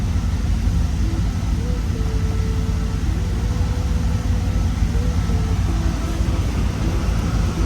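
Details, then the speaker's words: 2001-2002 Camaro SS SLP V8, about 100,000 miles, just fitted with 1 3/4 headers and a 3-inch off-road Y-pipe: steady, even idle at about 700 rpm, much louder than stock, no misses or ticks. Smoking slightly as new headers heat up; runs smooth. "So it's gonna be smoking a little bit, but running smooth. Sounds great. Way louder than before, which is way better because it was stock."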